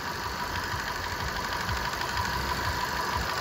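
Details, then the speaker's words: Intake manifold swirl flaps at idle: light, fairly regular tapping about three per second; knock starts when the flap position sensor/actuator is pushed toward the engine and stops when pressed back, traced to play in the flap axle. "Короче говоря если его отжимаешь в сторону двигателя соответственно смещается начинается если его прижимаешь стук пропадает"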